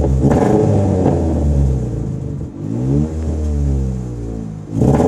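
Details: Ford Fiesta MK5 Zetec S on V-Power, with leads, coil, alternator, battery and plugs replaced within the past year: uneven, stumbling note surging and sagging with revs; misfires except at idle or very light throttle.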